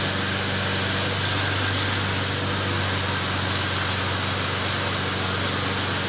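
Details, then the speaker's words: McLane mower, rear lifted so the freshly lubed drive chains freewheel without driving forward: small engine running at a steady, even drone with low constant hum, no knocks, misses or surging; runs healthy, readied for sale. "so so doesn't run too bad actually as you guys saw picked up the ass in to uh let the chains kind of freewheel on their own without actually having to drive the mower forward"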